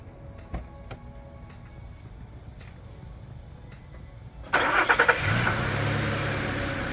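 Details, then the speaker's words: 2008 Nissan Pathfinder LE V6, about 1,000 miles after replacing all spark plugs and the cylinder 6 ignition coil for a cylinder 6 misfire: short crank, quick catch, then a smooth, even idle; runs fantastic. "all right so as you can hear it sounds really good so I'm happy about what we did"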